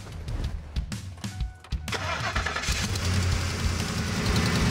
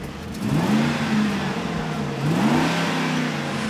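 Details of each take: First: Ford F-150 with 5.4L 3-valve V8 that has been sitting a while, started up before a tune-up; cranks and catches, then a lumpy, uneven idle that stumbles now and then, running rough and suspected of misfiring. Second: Ford F-150 with the 5.4L 3-valve V8, previously misfiring, after a tune-up with new spark plugs, coils and O2 sensors, revved: a smooth, crisp rise and fall of revs with no misfire, stumble or tapping. The engine runs strong and clean.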